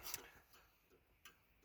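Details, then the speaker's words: 1993–96 Cadillac Fleetwood, new turn signal flasher relay clipped to the metal rail that acts as its sounding board: soft, crisp clicks about every three-eighths of a second, slightly quiet but normal. "so that way you can hear the turn signal clicking without it you wouldn't really hear it"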